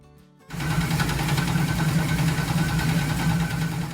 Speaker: The owner of this Camaro had hit a curb really hard which had pushed the steering rack into the oil pan causing it to sound like this.